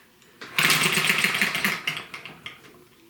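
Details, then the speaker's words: ET6 model hit and miss engine from Banggood, start attempt: brief flurry of puffing strokes when spun over, then dies without catching; no fire despite compression, owner suspects flooding or poor HT lead contact on spark plug. "no fire right back again so after watching some very good youtube footage i've established that the switch needs to be in that position there and i've also adjusted the ht lead on the spark plug"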